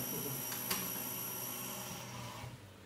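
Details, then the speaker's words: Small CNC router modified with new lead screws, jog test after adjustment and alignment. A soft, brief stepper hum with a light click as the axis moves, no grinding or skipping; everything runs smoothly. "oi tá funcionando tudo certinho tudo beleza já tá tudo ao regulado tudo alinhado"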